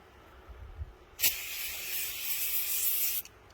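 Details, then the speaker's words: 2009 Citroën C4 Picasso on a lift, compressor inflation cycle running: loud sharp hiss bursting for about two seconds then stopping; large air leak from cracked suspension air spring, to be replaced. "on a levé le véhicule je crois que les choses soient claires et constaté la fuite elle est juste monstrueux c'est juste impressionnant"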